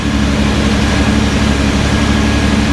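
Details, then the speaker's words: Datsun 280Z barn find, off road 18 years, running after fuel-injection work with new injectors and O-rings and corroded parts addressed; steady low even idle, no stumbles, knocks or hunting, running so good now; normal idle. "It's running so good now."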